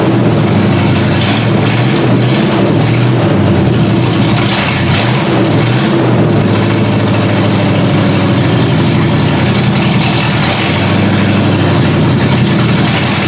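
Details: Ford Granada V8, open headers: loud lumpy rumble wavering and surging instead of settling; rough idle, mixture suspected not yet right, unconfirmed.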